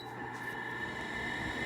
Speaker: It's quiet other than the bearings. The bearings aren't that loud though. It may have the sound, but it's not loud.